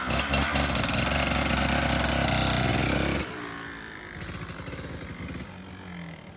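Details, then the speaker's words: Stock, used 2005 Kawasaki KDX 200 two-stroke, completely cold after sitting a day, kick-started before teardown: loud crackling revs then a steady ringing idle; starts and runs healthy. "just to show you that these things even when they're used and abused they still crank typically on the first kick this thing is completely cold hadn't been started in a day and i should typically they'll start right up"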